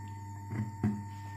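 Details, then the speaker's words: Ealsem build-up power amplifier powered on, still working: steady low mains hum with a faint higher buzz and two soft thumps, plus hiss at high volume; age-worn input cable picking up interference blamed. "Di sini masih masih hidup tapi e suaranya agak mendengung ya bisa e kawan-kawan e dengar sendiri di sini untuk suaranya"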